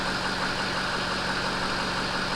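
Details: Ford 6.0 diesel truck at steady idle just after startup with a newly replaced alternator (old one quit with burning smell and battery light), battery 11.6 V before start; even low drone, no knocks, misses or squeals; healthy idle.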